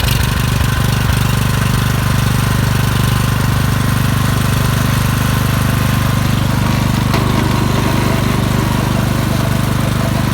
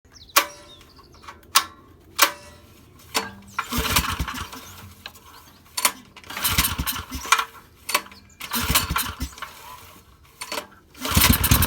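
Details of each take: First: Suzuki SV2300H generator that would not start, after spark plug cleaning: steady even low engine thrum at constant speed with no misses or knocks; running smoothly. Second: Suzuki SV2300H generator that won't start: repeated recoil pulls, each a short whirring burst that dies straight away, and the engine never catches; no-start, cause unconfirmed.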